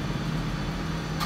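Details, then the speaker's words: 1962 DAKA elevator (1986 modification) machine room: steady low motor hum for over a second before a sharp click; brake releases seconds late, more audible moving down, due to a burned-out diode in the brake coil rectifier bridge. "You can hear it much better when elevator starts to move in down direction. Much longer, few seconds, than it suppose to."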